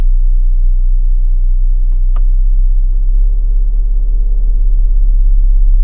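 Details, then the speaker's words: New 2026 Chrysler Grand Caravan SXT, warm idle stopped at a red light in Drive or Neutral: deep steady 32 Hz cabin drone with slow pulsing throb, up to 13 dB louder than normal; cause not identified. "Whenever I stop at a red light, the intensity of the engine noise inside the cabin increases by as much as 13 decibels."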